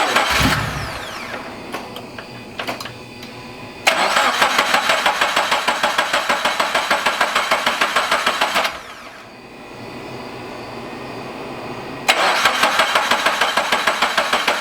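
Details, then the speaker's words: Toyota FR-S after turbo install, fuel pump relay pulled to prime oil to turbo before first start: two bursts of fast, even cranking about three per second without firing; normal cranking. "we have to turn it over first to get oil in got to get oil in it first in the turbo first and then he'll put the fuse back in"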